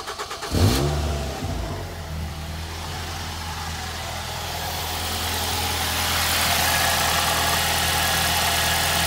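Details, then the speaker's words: 2006 Ford Fiesta ST petrol engine at idle with a light, tinny buzzing rattle from the exhaust manifold heat shield vibrating loose due to a broken bolt; heat shield rattle at idle. "So the problem I'm having with it at the minute is when it's on idle you can hear it vibrating around because there's a broken bolt."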